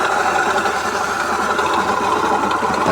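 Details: Yamaha Mio J scooter at idle before repair: fast, light metallic clatter rides over the idle at an even pace, top-end ticking from a slack cam chain; later replaced chain, tensioner and guide.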